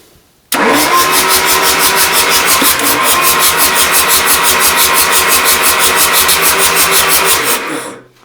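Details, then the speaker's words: Rebuilt Isuzu 4BD1T diesel in a Hitachi EX120-2 excavator, first start attempt: steady starter cranking about seven seconds, never firing, with oil pressure showing; cranking, no start. "nothing getting oil pressure that's a good sign all right let me try it with that cut off forward instead of back"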